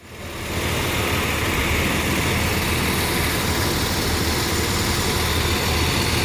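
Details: Nissan engine at idle with low, poor power: rough, hissy idle with an uneven, stumbling beat, a misfire. Owner is checking for high-tension wire leaks with a DIY pen leak tool; cause unconfirmed.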